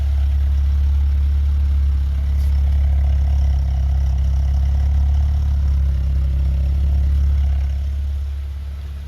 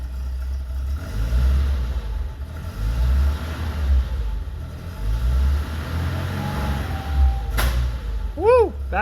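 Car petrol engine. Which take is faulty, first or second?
second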